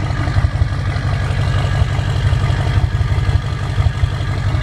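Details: 2007 Ford F350 diesel just after a cold start; heavy, deep, throaty idle with a loud boomy exhaust and uneven pulse. After about a minute it turns jet-like with turbo whistle. A low boost code points to possible EGR or wastegate issues; the cause is unconfirmed.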